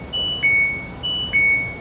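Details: LG washing machine with IE (water inlet) error code: two sets of high two-tone beeps about a second apart in a quiet room, an error alert; cause suspected, not confirmed.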